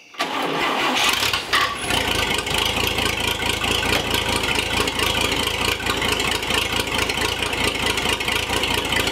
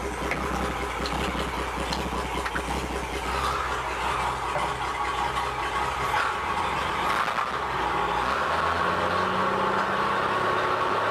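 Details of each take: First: Old Chevy Apache truck, barn find sitting about 20 years, after clutch work: quick crank, catches at once and settles into an even steady run with no stumbling or knocking; engine healthy. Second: 1958 Chevy Apache barn-find truck, sat about 20 years, put in gear; engine idles fairly evenly, then revs climb steadily but the truck won't pull; owner suspects it needs a clutch.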